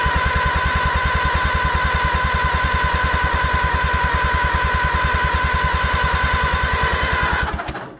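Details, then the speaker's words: Allis Chalmers WD tractor, first start attempt in 25 years: steady rhythmic chugging of the starter turning the engine about three strokes a second, never catching; cranks but won't fire, owner suspects no compression or no spark. "It sounds like it ain't got any kind of compression, or it ain't got no fire."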